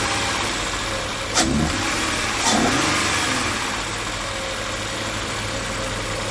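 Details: Towed-in crank-no-start car after the fuel supply line was reconnected and locked: brief crank, quick catch and small rev, then it settles into a smooth, even idle with no misses. Starts and runs normally.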